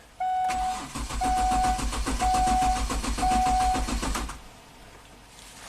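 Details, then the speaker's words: 2005 Kia Sorento 4x4, fuel pump and crank sensor already replaced, with junkyard PCM just plugged in: steady even cranking about one beat per second for four seconds, chime beeping over it, never catches; still crank no-start, original engine computer confirmed faulty. "Okay, so let's see if we can talk to it. It's still a crank no start."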